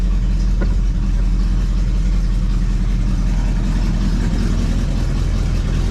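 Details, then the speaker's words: 1973 Chevrolet Chevelle Malibu V8 idling right after a new electric fuel pump got it running: steady deep idle with a loose, uneven puffing chuff from a hole in the muffler; a fairly decent exhaust leak. "got a hole in the mufflator over here got a pretty decent exhaust leak i don't think they're concerned about that as much as they're concerned about the car not running"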